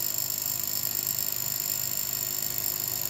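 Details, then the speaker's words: Old AMD Athlon K7 1 GHz PC, turned on with a screwdriver: loud steady whirring hiss with a thin high whine from inside the case as soon as it powers up; an abnormally noisy start. "That sounds noisy."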